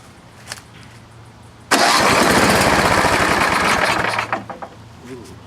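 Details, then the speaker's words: Craftsman 826 vintage snowblower, 8hp single-cylinder, reportedly run recently, gas down the cylinder, electric start: starter whirs briefly, engine catches with a quick even beat then shuts off — normal clean start. "Yeah, this one sounds good."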